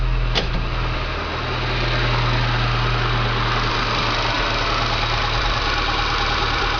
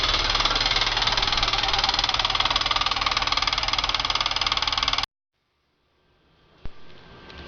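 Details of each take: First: 1995 VW Pointer, parked six months because the owner thought the engine had internal problems, after diagnosis and repair: steady, even idle with a smooth low drone, no knocks or ticks; normal idle. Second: VW Pointer 1.8 engine idling: a fast, very regular, sharp metallic ticking clatter at about three per second. The customer believed it was internal engine damage, but it was not; the cause may involve the water pump area and is unclear.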